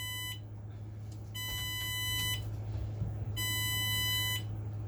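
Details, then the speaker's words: Bus during pre-trip air brake test, engine running, air gauges near 120 psi: repeated high electronic beeps in bursts over a steady low hum because the seat belt is not latched; seat belt warning chime. "And don't mind that that alarm. That is the seat belt, and I didn't lock it in. It has to be locked in for that sound to go away."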